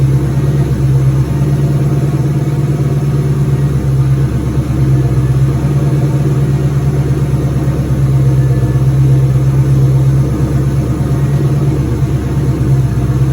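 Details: 2003 Cobra turbo V8 (Ford) running after engine reinstall with new valve cover gaskets; return-style fuel system at about 55 psi, no leaks; intercooler cold-side pipe not yet connected; steady deep even drone, strong low hum, no knocks or misses: normal running.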